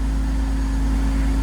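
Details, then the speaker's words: Cold-start idle on a neglected $500 BMW E46 330Ci convertible, check engine light on: loud steady low drone with even hum as the secondary air (SAP) pump runs, working normally. "you can't hear me over that sap pump but the sap pump does run so that's good"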